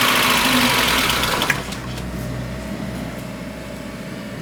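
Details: VAZ 21099 with a 1.5 L carburettor petrol engine at 185,000 km, cold morning start on choke: it catches with a loud burst, then idles unevenly, misfiring with a knock, and burns oil. Compression: cylinder 1 11.5, cylinder 2 9.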